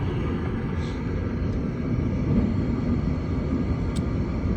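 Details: Gas furnace whose heat quit in cold weather, after control board replacement and a flame sensor cleaning: the blower motor kicks on with a steady low rumble of moving air, even and without rattle or scrape. Blower running normally; repair successful.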